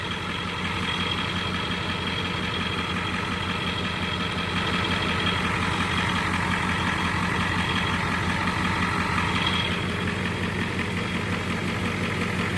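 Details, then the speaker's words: Ford 7.3 IDI naturally aspirated diesel with probably under 3,000 miles in over 1.5 years, cold and unstarted since the last run, before an oil flush and change from 10W-40 high-zinc: steady, even idle clatter with ample blow-by but no struggling cylinder; healthy. "But pay attention, that's pretty gosh darn even. We're not getting that poof poof poof like a cylinder's struggling real hard."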